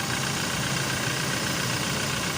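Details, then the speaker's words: 2018 Toyota Hilux running after a four-day no-start traced to the IVMS sensor, whose rubber/bracket no longer reached it, with the relay restored; even, steady idle with a constant hum, no knocks, misses or hunting: normal idle. "Balik natin yung fuse cover. Ayun, namandar na."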